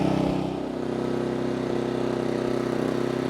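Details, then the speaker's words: Genmax 4600iAEFIC fuel-injected 240 V generator, just pull-started with about one minute of runtime and eco mode off, heard on a walk-around. It gives a smooth, even engine hum at about four pulses a second with no knocks or misses; it runs normally. "All right, so what do you think? Sounds much like the other one did. And the eco is off at the moment."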